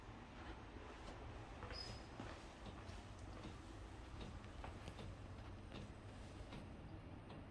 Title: Aircon clicking sound